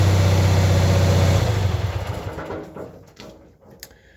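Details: Cub Cadet 782 tractor that is hard to start in cold weather, with a dead one-year-old 320 CCA battery, started using a Noco Boost GB40 jump starter. The small engine runs with a steady, even beat near four per second, then winds down and stops, with no fault heard.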